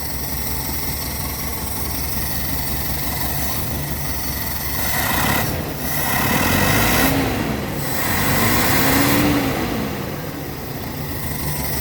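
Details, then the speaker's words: Toyota petrol car with long cranking, poor fuel economy and no power on climbs: an uneven, stumbling idle that vibrates the engine heavily. The misfire was traced to a faulty spark plug. "आपने मिशिंग देख ली कितनी ज्यादा missing है engine vibrate कर रहा है बहुत ज्यादा"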